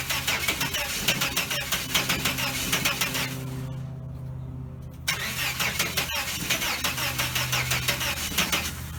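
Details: 1989 Chevrolet S10 Blazer, work in progress, won't start after everything was reconnected: the starter spins in a quick even chug, pauses, cranks again, never catches. The owner suspects cables or an electrical fault; unconfirmed.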